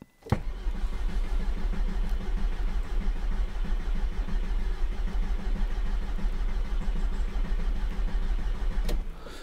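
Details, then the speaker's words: Audi TT Mk1, cold, battery possibly a bit weak: steady fast cranking for about nine seconds at roughly one and a half beats a second, never catches; usually needs 15–20 tries to start, cause unknown. "quand on voit l part pas du tout donc on le bipe c'était la femme que je vous disais quand on peut voir le parle pas du tout"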